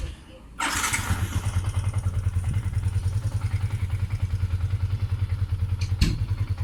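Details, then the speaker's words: Yamaha Sniper 150 after fitting a Honda TMX 155 rubber clutch damper and 1 L of fresh Shell AX7 oil: starts promptly and settles into an even, steady single-cylinder beat with no clutch rattle; normal idle. "Let us hear the comparison of my engine sound test before and after the new rubber clutch dumper are installed."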